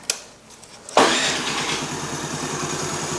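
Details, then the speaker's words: Honda Navi scooter just fitted with a Reveno CVT clutch kit (2.5 lb lighter than stock), clutch cover on: kick start, then a quick, even putter with no audible clutch rattle; runs fine. "good in there. If you notice, you can't hear the clutch."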